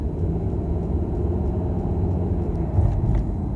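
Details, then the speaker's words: Volvo XC90 T5 at idle after its misfire was fixed: a steady, even low rumble with no stumbles or skipped beats. "No more Missfire. Imagine that. I'm happy that it's fixed."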